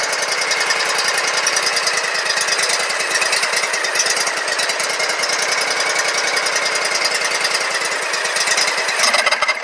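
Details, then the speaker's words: Scag Tiger Cat II zero-turn mower, Kawasaki FX691V twin, first start after bent pushrods, broken rocker holder on cylinder 2 and valve adjustment, choked: fast even popping exhaust beat for ten seconds, tailing off; firing on both cylinders. "Oh yeah, I can already tell it sounded a lot better."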